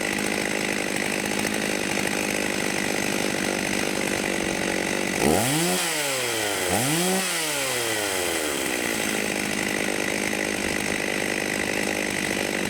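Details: Vintage 1989 Husqvarna 50 two-stroke chainsaw, sat years with old gas, after carb clean and tune-up: steady high-rev buzz, blips down and back up twice cleanly, then holds an even scream; carb set right, normal running.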